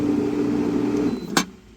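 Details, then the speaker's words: Intex SX2800 pool filter pump after the fix (previously hummed but would not pump water): a steady mid-pitched motor hum runs smoothly, then cuts off with a click; pump running normally. "Plug it back in. We'll hear a sound. That's a good sign. Now let's try if it turns on. Yes. As expected, that fixed it."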